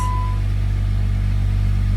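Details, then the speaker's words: Jeep after a fallen bolt holding the cylinder #3 intake valve open was removed: the engine fires and settles straight into a smooth, even idle with no misses or knocks. Startup is nicer than before; normal start and idle. "Dude, the startup is nicer than it was before. It doesn't idle. It doesn't start up mean. It's freaking perfect."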